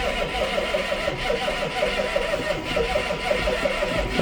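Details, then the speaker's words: 1995 Chevy 3500 dump truck, 6.5L Detroit diesel, sat all winter, cold start: steady, even cranking with no firing catch; cranks but won't start, batteries likely weak, needs a jump. "I need to get a jumper to jump the batteries figured something would happen like this figured it actually start though but"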